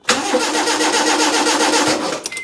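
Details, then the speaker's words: Proton Wira off the road 12 years: steady starter cranking about two seconds with no firing, then faint tone; electrics confirmed good, fuel pump suspected failed, to be removed. "That's telling me my next protocol is at the back of the car, which means that we're going to have to take the fuel pump out."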